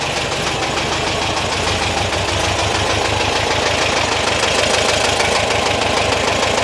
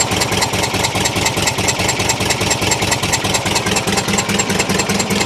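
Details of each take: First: 1973 VW T2 Bay camper, flat-four with twin-choke carbs, after exhaust refitted and gearbox mount repaired, likely driven long on three cylinders: busy, slightly uneven air-cooled chatter at steady fast idle, no heavy knock; running quite well. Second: 1973 VW T2 Bay camper with poor running and no power: idle exhaust chuffs about two per second with a missing beat; one cylinder with zero compression, dead because a tight valve is held open.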